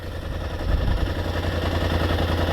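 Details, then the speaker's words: 2021 Polaris RZR XP 1000 Turbo, two years old, heard at the belt-cooling intake: steady low idle rumble with a soft, even whir of the CVT drive belt spinning. Normal belt noise. "but that's actually the belt spinning. So, yes, this this is for the belt."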